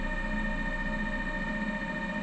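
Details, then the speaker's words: Teamgee H5 electric skateboard after hub motor replacement, powered test before reassembly: smooth steady whine at one constant pitch, no grinding, rubbing or clicks; hub motor spins cleanly and healthy, unlike the bad sound before. "okay we've got power that's good remember how bad this wheel sounded before should sound amazing now"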